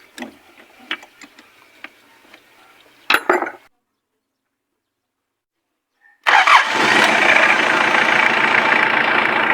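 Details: Mitsubishi Pajero 4M40 diesel after fixing hard morning starting with new glow plugs, nozzle tips and fuel filter: after a few ticks and a pause it catches at once into an even, steady idle; healthy start.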